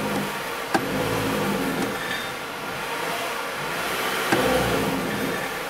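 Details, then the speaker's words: 2009 Nissan Frontier four-cylinder, cold engine, idle about 1,200 rpm, throttle taken all the way to the floor: shakes near 2,000 rpm and drones flat without climbing, bogging on a low-power complaint; plugged exhaust is being checked. "me show you so we bring it up slow light throttle get about almost 2,000 it starts shaking and I start giving it more throttle that's all the way to the floor"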